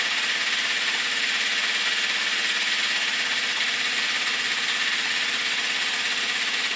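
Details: Honda CB650 Custom four-cylinder at idle after warm-up: light ticking about three taps a second over a thin idle, slight backfire; owner suspects valves on cylinders 3 and 4, maybe clutch or cam chain area, unconfirmed.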